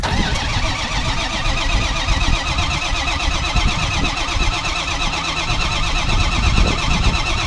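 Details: 2005 Ford F-350 6.0 Powerstroke diesel after new IPR valve and replaced injector: starter catches quickly, busy even clatter settles to steady idle, no misfires; running better than ever.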